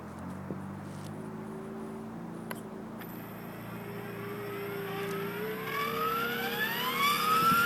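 Rising whine as the rotor spools toward hover, with a rough buzzing layered over it: vibration from the drive, cause unknown.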